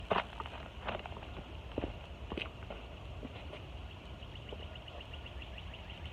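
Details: 2012 Jeep Wrangler Unlimited Sahara, automatic, 3-inch lift, oversized tires. The passenger front wheel is raised and levered with a crowbar at 6 o'clock, engine off, giving sharp scattered clicks from hub play; suspected wheel bearing rather than ball joints.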